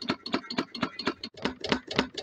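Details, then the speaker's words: DIY wood-fired rocket-stove Stirling engine generator Mk4, running very slowly as the fire dies out: sharp, even clonks about four times a second in time with the engine, caused by a bolt left loose. "one point I like to make is there's a loud clonking noise coming from um from this side I'm coming to find out I left the bolt loose so that's what that noise was"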